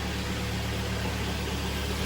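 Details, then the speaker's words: Kia Sportage G4KD at 106,000 km, first start after an engine rebuild, before warm-up. It holds a smooth, steady low idle with an even beat and no extraneous ticks or knocks. Normal idle. "ну что никаких посторонних звуков абреков ничего нет сейчас будим прогревать"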